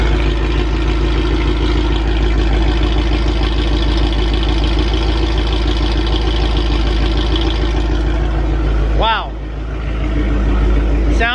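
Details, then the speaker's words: 2019 Mustang GT swapped to a 5.2 engine with VMP Odin supercharger, 88 mm pulley, double H-pipe exhaust, FIC 1440 injectors, 93-octane tune, first start, break-in oil: deep steady choppy idle with no knocks or ticks, not too loud; healthy. "good not incredibly too loud really deep i love it it's got chop to it"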